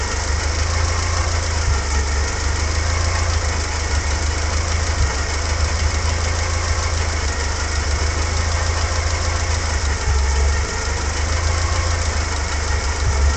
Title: Lampredi engine 16v NA fiat coupe. Bad and old oil, idle.